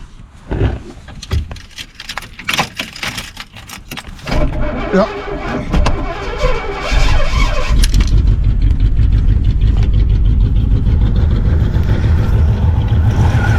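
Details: 1967 Chevy Impala 283 V8, starting after a starter swap, black smoke; cranking and sputtering, then catches with irregular pops through the intake/carb over rough idle, exhaust sounding good; suspected stuck intake valve; intake popping.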